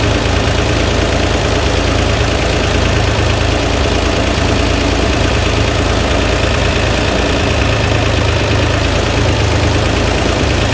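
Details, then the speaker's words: Flood-damaged Corvair engine, mic placed low where the noise is loudest: a heavy, rapid rapping runs through the idle, a rod bearing knock. Afterward the oil pan showed lots of glittery metal and debris on the drain plug. "But I think at the end of the day, what matters most is that the knock is something that I can't diagnose from the top of the car."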